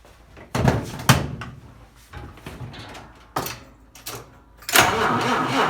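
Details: Vintage Mopar with 6V generator system, stone cold after sitting a couple of weeks, battery at 6.3 V: several slow starter cranking bursts with pauses, then it fires and holds a steady run; healthy cold start.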